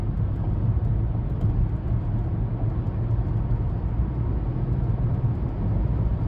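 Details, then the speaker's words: 2015 Chevy Malibu, test drive at 60 mph after wheel hub replacement for a howling hub: even, low road rumble with no howl or drone rising with speed. Quiet wheel bearing at highway speed. "we got her up to 60. sounds pretty good I'd say we got it fixed anyway"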